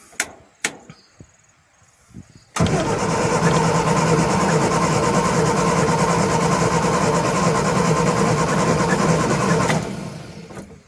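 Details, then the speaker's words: Morris Minor, A-series engine, sat unused since 2017, spark confirmed, fuel bowl filled by hand as pump is gone, choke out: about seven seconds of steady cranking at roughly three beats a second that never catches; cranks but won't start, brake cleaner next. "Definitely got um fuel and spark. I tell you what, we'll put some brake cleaner down and see if that will make it go."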